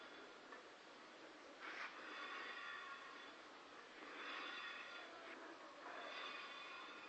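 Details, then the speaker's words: Opel Astra H wheel turned slowly, forward and backward: soft scraping swish about every two seconds, once per revolution; wheel rubbing noise, cause unknown to owner. "Bueno, pues tengo un ruido en esta llanta, no sé qué es exactamente, pero es al girar."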